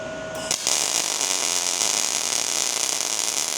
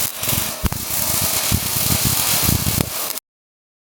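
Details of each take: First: ARCPEX MIG200 welder: a short tone, then a steady, even, bright sizzle of the MIG arc with voltage correctly matched to wire speed; the sweet-spot sound, not frying-bacon crackle or slow popping. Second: ARCPEX MIG200 MIG welder with voltage set too low for the wire speed: an uneven popping arc, three or four pops a second over crackle, a slow struggling sound; the fix is turning voltage up.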